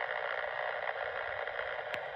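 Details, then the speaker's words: Powerline noise hunt near a power pole: steady raspy hiss with one sharp click. Arcing interference from a component on the pole, to be pinpointed with an MFJ ultrasonic receiver. "Something on this pole. So, we're going to switch to the ultrasonic and we're going to take a look at each one of the components on this pole cuz there is something on this pole that's not behaving."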